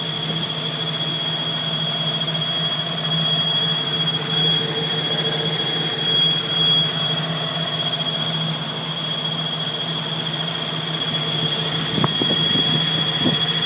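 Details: Jeep YJ 4.0L engine running: steady high-pitched squeal rides constantly over the engine, holding its pitch; squeal of unknown origin.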